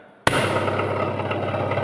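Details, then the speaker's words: Three-phase induction motor on a test run while identifying unlabelled coil terminals: harsh rough hum and heavy buzzing vibration instead of a clean whir, meaning the coil connection is wrong; vibration from incorrect winding connection. "Bunyi dia tidak elok. Vibrate. Maksudnya sambungan salah."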